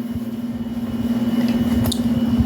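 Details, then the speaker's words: Electromax 9000 BTU air conditioner after rewiring repair for power cutout and burning smell, set to 26°, compressor audible outside: steady low hum with an even gentle pulse, nothing rattling or buzzing; running normally. "after I fixed up all the wires it's running it's displaying some 26° if you listen carefully you can hear the compressor running outside"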